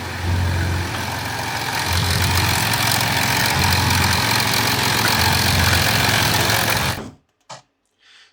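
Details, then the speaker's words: 2007 Audi A6 3.0 TDI V6 quattro diesel with codes P106B, P1580, P1545: idle with a low hum swelling and fading about once a second like a phone ringing, revs hunting; EGR cooler and turbo actuator seen pulsing; vacuum solenoid (N75) initially suspected. "sounds like a phone ringing crazy obviously no one's touching for all it's just drives all right just makes that sound"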